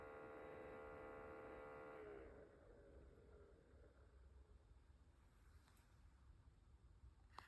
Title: Ailinke Humidifier making noise MG 2587